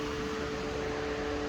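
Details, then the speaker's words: 2012 Chevrolet Cruze turbo EVAP one-way check valve, removed and blown through in reverse: steady airy hiss with faint whistle as air escapes, a vacuum leak making the system lean, P0171. "So for this one here, should be able to blow into it, but you should not be able to blow in reverse. And you can hear air escaping, causing that vacuum leak."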